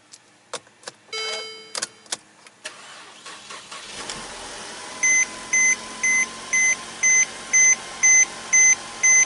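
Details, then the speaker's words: Mercedes C-Class (250/300) after replacing the turbo inlet hose to cure a vacuum leak, hesitation and rough idle: clicks, then the engine catches into a steady even idle under a twice-a-second chime; the earlier miss is gone. "well she's actually paying like a kitten I do not hear that miss anymore"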